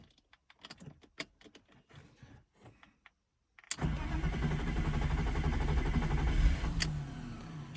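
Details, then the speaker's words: 1997 BMW 328i E36, off the road 7 years, first start after repairing the no-crank with pigtailed wiring: clicks and rattling, then fires roughly for seconds without catching; owner suspects the Duralast crank sensor he installed. "Oh, it wants to go. Why is it not going? Could be that Durlast crank sensor I put in."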